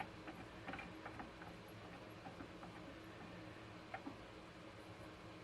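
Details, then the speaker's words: KMG 2x72 belt grinder idler wheel with new bearing from refresh kit, replacing a blown screeching bearing, spun freely by hand before installing: quiet light whir, soft occasional ticks, no rattle or roughness; bearing good. "all right nice there's no rattle to it it's nice and free so okay back to the machine we're gonna go install this"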